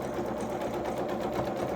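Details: Sewing machine zigzag-stitching along a hem edge, reversing at the ends: fast, even stitching clatter with a light, loose rattle from the bobbin in its case; only a problem when it stops.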